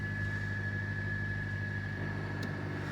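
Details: Jeep Patriot (Chrysler) after battery terminal fix, battery light now off: steady low engine hum with a faint constant high whine, no knocks or stumbles; engine running normally.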